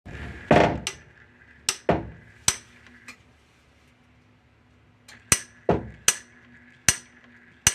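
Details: Whirlpool/Maytag/Kenmore-type washer clicking during its cycle: sharp, irregular clicks, about ten in eight seconds, over little motor hum; shift actuator suspected broken, with the actuator and splutch cam kit to be replaced.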